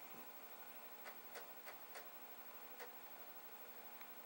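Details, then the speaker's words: Commodore 1541 floppy drive running a check disk program. Sharp, irregular clicks, about five in four seconds, over a steady hiss as the drive head steps back and forth between tracks; normal head stepping. "But certainly it is working. I can hear the drive head going back and forth, back and forth, back and forth."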